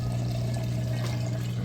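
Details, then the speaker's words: Samsung VRT front-load washer moving from the wash cycle into the rinse cycle: steady low pump hum with water rushing through, draining the water out nice and fast; normal drain pump operation. "okay we're moving out of the wash cycle into the rinse cycle and it's draining that water out nice and fast you can hear it draining there"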